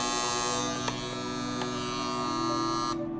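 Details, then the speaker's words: Copal Caslon 701 flip clock alarm that only works sometimes: steady electric buzz holds about three seconds then cuts out on its own, recurring roughly each minute for 8–10 seconds; cause unknown. "there it stops. Now about a minute, it'll go off again like that, and then go for 8 seconds or 10 seconds and stop."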